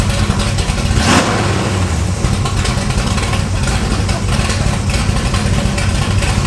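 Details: 1968 Camaro V8 with exhaust cutouts open, back on the road after 5 years: loud, deep, lumpy idle that snaps up cleanly on each blip and drops back evenly; healthy and very responsive.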